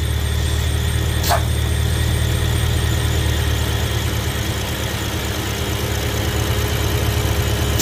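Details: BMW E70 X5M S63 engine at idle, recorded underneath, before catch can revision: thin constant squeal like a slipping belt; excess crankcase vacuum sucking air through the front main seal, oil cap hard to remove.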